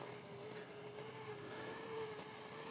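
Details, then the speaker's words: DIY electric inline skate with 3D printed frame, single motor pulling the rider uphill while the other skate's motor is misaligned and not rolling properly; steady mid-pitched motor whine labouring under overload. "Yeah, I can hear the motor struggling. Right. Is really, really hard for it."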